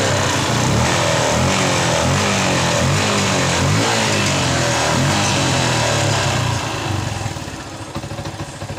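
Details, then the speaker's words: Yamaha Jupiter MX New after cleaning the carburetor, old air filter and spark plug kept, previously hard starting and stumbling: clean even revs with crisp throttle blips and no stumbling, settling back smoothly; normal running. "jadi motor ini kita sering saya bersihkan karburatornya dan Dragon basonya motor normal kembali"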